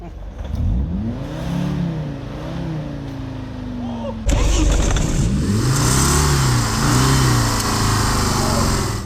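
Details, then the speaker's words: Old scrap Volvo engine run with oil and coolant drained, hard-revved, already knocky and spitting flames: rough running with one sharp big tick breaking through mid-clip. Engine tick from oil starvation. "Oh! Did you hear that? That made a big tick noise, didn't it?"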